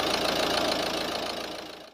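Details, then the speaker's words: First start of a Volvo V50 1.6 diesel after fitting new injectors and bleeding the fuel system: a harsh, clattery, uneven idle that fades near the end. It runs rough because the new injectors are not yet coded to the ECU. "so I'm really glad that it it's fired up uh as you could hear it is still running rough this is because we didn't coat the injectors yet"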